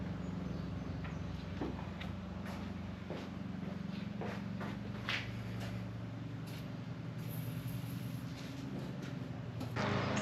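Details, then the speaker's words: Hammerhead GTS 150 after rattle fix (tightened loose pivot bolt and four dashboard screws): low, even engine hum with only faint knocks and no loose rattle; normal idle. "Alright, so we fixed our rattle. As you can see here, no more noise."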